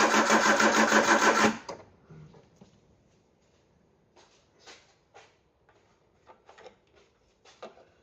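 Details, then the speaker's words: Peugeot 309, carburettor with camshaft-driven mechanical fuel pump, petrol poured down the carb: about three sluggish, even cranking beats per second for a second and a half, then stops without catching; slow crank, no start. Owner suspects low battery and too little petrol. "I think it's safe to say I'm going to need more petrol and charge the battery up, and we'll try again."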